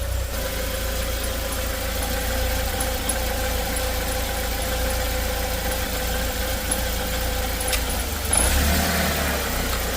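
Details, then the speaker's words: 2015 Chinese Joylong bus/van, cold engine still in open loop: stalling and running rough at idle with a faint uneven rumble and a light hiss from the throttle. O2 sensor reads lean. Rough idle traced to a dirty throttle body. "it's running real [Music] rough oh and stalling out I just heard some noise coming from the throttles"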